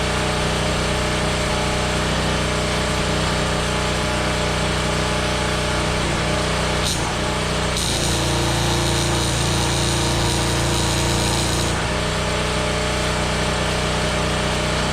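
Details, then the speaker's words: Small 3400 W Champion generator powering a Fronius TransSteel 2200 welder: steady drone digs in and rises under welding load as the arc crackles about four seconds, engine winding up, then settles. Handles the load fine; normal running. "So, as you can see, that it powered it perfectly fine. It sounds like the engine's really winding up there."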